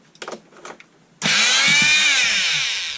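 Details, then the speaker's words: Einhell multitool that had stopped working, after being repaired. The motor starts and holds a steady high-pitched buzz that smooths out with no stutter or crackle; it runs normally again. "WoW that worked so back must be off well I'm sorry for deing you but as you can see it appears to have come back to life"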